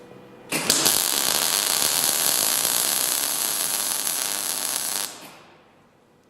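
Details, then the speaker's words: Transformer MIG welder after a minor repair, 1.0 mm wire, current raised a couple of steps: steady, even short-arc crackle like bacon frying; sparking from the short arc is normal, and this is how the machine should sound. "Ну вот примерно так и должен звучать аппарат. Искрит он из-за короткой дуги. Это нормально."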